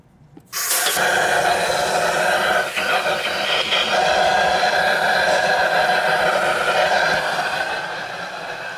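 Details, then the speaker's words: 2009 Toyota Corolla with a misfire, leak-down test with 100 psi into cylinder 3: loud steady hiss as air escapes out of cylinder 4; leakage into the adjacent cylinder points to head gasket failure. "I know that was loud but I wanted to show you that with 100 psi going in the cylinder 3 it was leaking out of cylinder 4 with the engine on this compression stroke"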